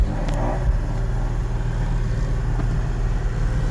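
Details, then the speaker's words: Car with CD009 transmission, late night parking-lot lap after repair; the earlier clicking/banging noise, suspected clutch, flywheel or internal trans, is gone; even low engine drone, no clatter, only normal CD009 gearbox noises remain. "There's no more noise. We got it finished, started up. There's definitely some noises here, but not the noise."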